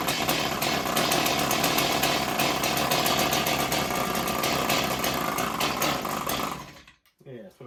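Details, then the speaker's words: Long-idle Stihl 028 Wood Boss chainsaw runs with a raspy, uneven drone, then dies; the choke baffle flutters open and shut rapidly, starving the engine of intake air. "So that means that the that choke baffle is opening and closing very rapidly, and she can't get her air in to actually run."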